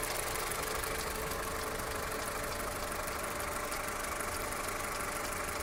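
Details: Skoda Octavia Tour 1.4 16-valve, 630,000 km, hot idle after half a day's driving, no error codes, engine runs evenly; steady light tapping about three per second over the engine note, knock of unknown origin.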